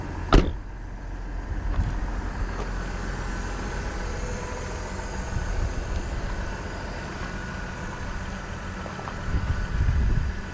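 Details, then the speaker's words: GMC Envoy SLT engine idle: low, even rumble holds steady with no ticking, knocking or rattling and no smoke; sounds healthy, though the owner suspects a bad sensor. "move that back up doesn't smoke no knocks no rattles"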